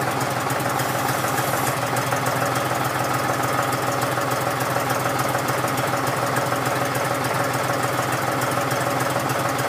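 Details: John Deere 5103 diesel tractor, cold start at about 29-30°F after sitting a few days unstarted; steady fast even clatter about 3.5 beats per second, no misses, normal cold idle while warming.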